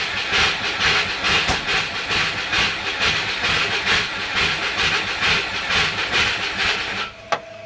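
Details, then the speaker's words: Turbo Subaru with a DIY exhaust manifold, just sealed up: rhythmic starter cranking at about two pulses a second, with no firing. The owner thinks it is flooded with a low battery. "Think I flooded it and the batter is too low."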